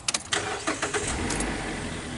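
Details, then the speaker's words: 2012 Mazda 3 Skyactiv starting after OEM MAF sensor replacement (earlier Duralast MAF failed, P0171 lean code cleared): a few cranking pulses, then a steady, even idle that holds without stumbling; normal start. "Alright. That's a good sign when it's running."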